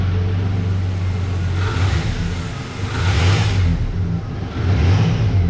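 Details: 1988 Dodge Ram V6 at first startup after the engine was reinstalled following months of work: deep, even rumble rising and falling with gentle revs, no knocks or ticks; normal running.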